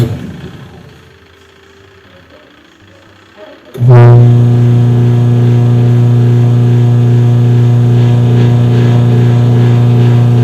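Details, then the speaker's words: Washing machine on test: a loud, steady, deep buzzing hum as the motor runs, but the agitator does not move at all and the pulley does not turn, because the drive belt is loose and slipping. "Bueno, como lograron apreciar, hace un ruido extraño, pero sin embargo lo que es el aspa de lavado no se mueve en absoluto."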